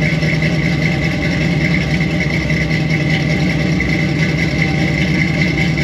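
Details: Squarebody Chevy C20 V8 with a new Edelbrock 1906 carburetor during tune-up, camera by the exhaust: rough idle with a steady high-pitched hiss from a large vacuum leak at an open carburetor port that needs plugging.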